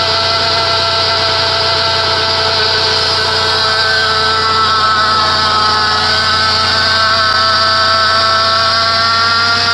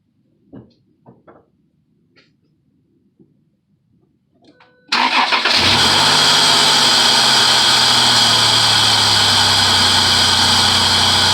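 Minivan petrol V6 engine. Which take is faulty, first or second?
first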